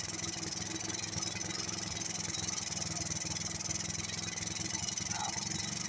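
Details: Honda RS 125 carb single-cylinder, previously wouldn't start, after draining diesel-contaminated petrol: idles with an even, steady putter, no misfires or stumbles; problem solved.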